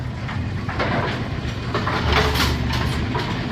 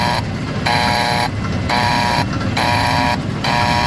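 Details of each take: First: Brunswick A2 pinsetter after cycle solenoid was matched back up; ball detect beam tripped and it cycles with steady clattering and thumping, an even mechanical rhythm with no jams or stalls; normal pinsetter cycle. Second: Brunswick A2 pinsetter, recently replaced cycle solenoid; machine fails to cycle on first ball but cycles on second. Tripping the ball detect, the solenoid plunger moves with a repeated harsh, chattery electrical buzz over machinery hum, not pulling in cleanly; abnormal solenoid buzz.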